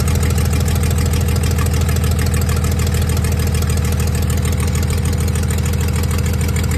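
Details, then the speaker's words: 1996 Dodge 2500 diesel idling cold, still burning off oil after turbo failure: loud steady fast clatter about 200 beats a minute, slightly uneven; shakes and idles rough cold with a tick, smoother once warm. "you can see it's uh definitely shaking a little bit and uh this thing is always when it was cold it had a tick to it and it bized doesn't aisle real smooth when it's cold but as you warm it up it gets smoother"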